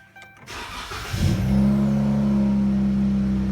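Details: Dodge Charger 3.6L after a fuel pump swap and erasing codes P0463 and P2068, fuel low: short crank, it fires at once and settles into a smooth, even idle with no stumble; runs healthy.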